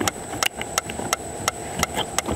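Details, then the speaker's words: Citroën C4 Picasso rear body noise: sharp dry cracks, a few per second as the body flexes; loose spot weld at a torsion point lets two panels rub, noise stops when panel is held by hand. "então ou seja esse ponto de soldo aqui ó quando a carroceria trabalha o carro tá tendo atrito de uma das duas latas né que esse é um ponto estratégico de torção uma lata estrega na outra onde faz esse estralo aqui"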